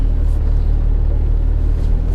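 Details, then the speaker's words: Car front coil springs after lubrication, driving through a curve: only steady low road rumble, no squeak, pop or grind from the springs, previously noisy; suspension quiet after fix. "want to go over this curve here it didn't squeak so let's let's see what we got"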